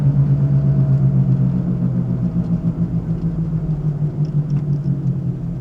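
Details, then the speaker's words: Ford Focus driven at about 45 mph: deep throbbing drone under the road noise, like driving on rumble strips; worn front wheel bearings, replaced with complete pre-installed bearing/knuckle assemblies. "I'm not sure if you guys can hear that on camera, but I'm doing about 45 miles per hour right now, and it sounds like I'm just driving on the rumble strips."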